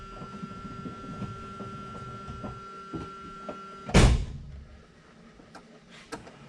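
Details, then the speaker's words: Classic car being prepped for a Route 66 cruise, with a new universal electric fuel pump replacing the mechanical one, tested before starting: steady faint pump hum then a clunk; pump holds about 7 psi. "Sounds like it's holding pressure. The pump is still running, but it's off, so it's made it 7 pounds or what have you."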